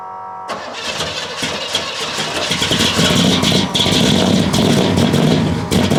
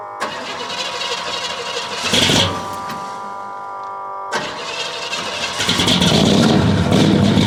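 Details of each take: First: 1969 Buick Special Deluxe, 430 big-block V8 with big cam, first start after sitting over a year; cranks, catches and settles into a lumpy, loping, uneven run, super rich because the choke was left mechanically closed all the way. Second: 1969 Buick Special Deluxe 430 big-block, big cam, restarted after the fully closed choke was opened, warm weather: brief crank, quick catch, steady even lumpy idle with no misfire or knocking; runs much better.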